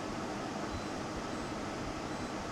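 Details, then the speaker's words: Portable air conditioner switched to cooling mode: steady fan roar with a low whirring hum coming in underneath; normal compressor start, louder than a split unit's indoor unit. "Well, it doesn't sound bad, it's not booming, it's more like a whirring compressor. But you can clearly hear the compressor working."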